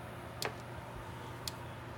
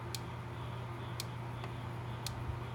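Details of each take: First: Early-1980s Gallagher MPE fence charger plugged in after its cord passed a continuity test; sharp even clicks about a second apart, normal pulsing, though its indicator bulb isn't lighting. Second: Gallagher MPE electric fence charger, early-1980s, thought to put out about 4,500 V: sharp evenly spaced clicks about once a second over low mains hum; tester needle barely moves, weak output, repairer suspects a bad transformer.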